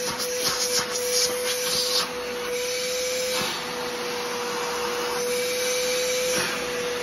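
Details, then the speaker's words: Trash-picked older Bissell PowerForce Helix Turbo 68C71 upright vacuum, suction test: steady high motor whine with rough, scratchy hiss and uneven surges; has suction but sounds rough, owner suspects the motor needs a cleaning. "it does have suction doesn't sound the greatest but it I think it's doable I'll do have to I'll have to do a little bit of motor work to it uh probably just a simple cleaning all to fix it"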